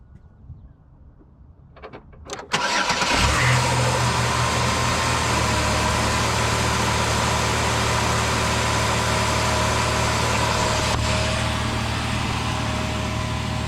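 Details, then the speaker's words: 160,000-mile car after boot repair and resonator/muffler replacement fixing an exhaust leak; clean start catching in about a second, then steady even idle hum with no knocks, rattles or exhaust blowing. Normal idle, runs really good. "for 160,000 miles, that engine actually runs really good. So after all that, the car's running good."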